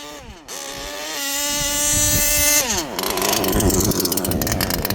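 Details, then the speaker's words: HPI Savage Octane gas RC car, after transmission teardown removing packed factory grease and shift-point tuning, still being broken in, tuned rich: high two-stroke buzz climbs then drops in clean steps through three speeds; crisp shifts, gearbox working. "Three-speed, baby. Audible. You could hear it. Mission accomplished, guys."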